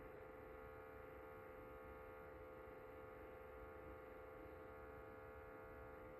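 Steady, quiet electrical hum with a fixed mid-pitch buzz and no rhythm; the humidifier drones abnormally, cause unknown.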